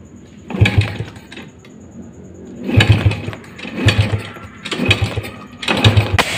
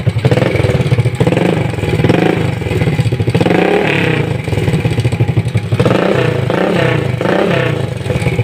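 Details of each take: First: Rusi 100 motorcycle, carburetor just cleaned and throttle cable replaced, hard starting: repeated kick-start strokes with sharp backfire pops but never catches, with no proper idle; spark plug and ignition checked next. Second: Rusi 100 motorcycle that backfired, started hard and had no steady idle despite cleaned carburetor and new throttle cable: after fitting a C7HSA spark plug it starts on one kick, idles and revs cleanly without backfire; light engine clatter remains, spring still pending replacement.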